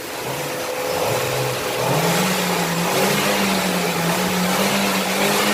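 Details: Genesis 3.3 engine, under way: steady hum climbing in pitch with speed above road and wind noise, pointing toward the drivetrain; differential suspected, not confirmed.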